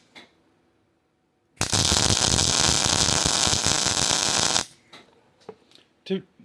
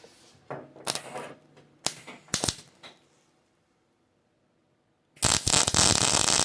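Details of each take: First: Hobart Ironman 240 MIG welder with ground clamp moved directly onto the workpiece instead of the table: three seconds of steady, even frying crackle with no pops or breaks; smooth, stable arc with good wire feed. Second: Hobart Ironman 240 MIG welder, welding on the table with ground C-clamped to table: a few light clicks, pause, then harsh crackle and brief spitting at arc start before steadying; caused by poor ground, not the wire run-in feature.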